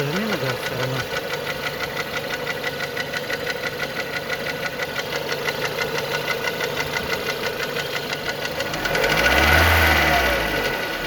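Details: Renault Megane 2 engine: steady even knock about three times a second at idle, still present when revved; knock from inside the engine, cause unknown.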